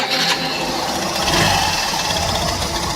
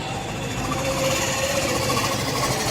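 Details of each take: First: Hero BS6 Super Splendor 125cc single at idle: light, fast metallic ticking rides over the idle and stays constant, cam chain rattle from slack chain gap; fix was adding two packings at the tensioner lock. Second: Hero BS6 Super Splendor single-cylinder idling after repair with double packing fitted and settings adjusted; steady idle with light even mechanical patter, no uneven knocks; earlier recurring problem of repeated failure and resulting engine noise now resolved; normal idle.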